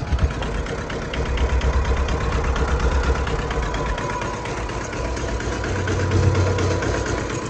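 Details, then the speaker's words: Yanmar 1500D diesel tractor idling, three-point hitch trying but failing to lift: thin steady whine from the hydraulic pump cavitating as if drawing air, though hydraulic fluid level was full. "that's what the three-point trying to lift with the knot trying to lift that's how it sounds so listen closely it's almost kind of like a whining sound"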